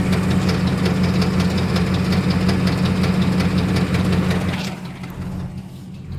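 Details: 2006 Dodge Ram 1500 4.7 V8 idling with a sharp, regular tick nearly three a second over a low hum; cause unknown despite new lash adjusters, remanufactured heads, timing kit and water pump; started six months later.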